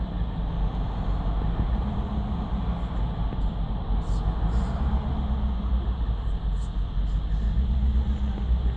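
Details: BMW 750Li V8 engine restarted: starts first ticking over perfectly, then on restart runs rough with low uneven idle, revs hunting in slow swells and lumpy beat; misfire, which owner notes appears around 50°C as VANOS takes over.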